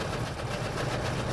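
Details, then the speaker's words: Kawasaki Versys on a touring ride: coarse, fast whirring chatter from the rear near the footpegs while coasting, unchanged off throttle so not the motor; noise worsening over days, owner suspects stretched or failing chain or sprocket. "that's just horrible it's not the motor though I'm just coasting right here ya see no change there definitely definitely initiative I think my chain is completely hosed"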